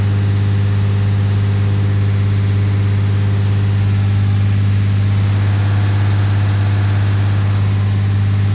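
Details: 2013 Ram 3500 6.7L Cummins with a fan clutch that was locked up all the time, revved to 2000 rpm after the repair. Coolant is at 112, and a smooth, steady drone with no fan roar means normal operation.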